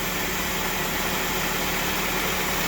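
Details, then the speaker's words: 1997 Toyota Camry with 200,000 miles: smooth, even petrol idle with steady hiss and no knocks or misses, idling up and down as the defroster cycles the AC clutch; normal idle. "The reason it's idling up and idling back down is because the defroster's on and it's kicking the AC clutches in, and yeah, it still works with 200,000 miles on it."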